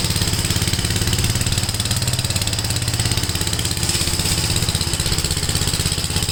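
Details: Gravely tractor with brush hog mulcher deck, PTO engaged after remounting deck and adjusting clutch: steady, even engine drone with smooth pulse, no shake or rattle; runs really smooth, no vibration. Normal running.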